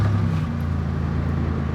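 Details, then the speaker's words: Ex-police Chevy with a V6 engine, 161,000 miles, idling in park and then in gear; a steady, even low rumble with no misses, knocks or hunting, idling smoothly and the same in gear. "runs perfectly fine and as you can see it's got 161 000 miles but check it out it's idling pretty good"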